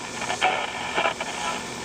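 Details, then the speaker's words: 1948 Silvertone 8005 radio, just reinstalled in its cabinet after playing fine outside it: constant hiss and irregular crackling with no clear program; it picks up only strong stations. The owner suspects a touching tuner plate, cause unconfirmed. "That's the situation I have right now. It'll only pick up a strong station."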